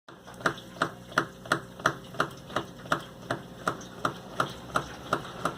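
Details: Suzuki GSR150i front fork (bengala) knocking sharply with each stroke, nearly three per second as the fork is pumped; fender removed and noise persists; owner suspects incorrect fork oil quantity, unconfirmed.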